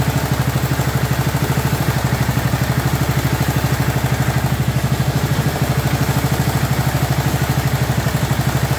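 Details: 2004 Murray 12.5 HP lawn tractor, warm, after sticky choke linkage that caused flooding was cleaned and carburetor adjusted. Steady, even single-cylinder thumping at idle with no stumbles or surging; now running properly instead of choked out.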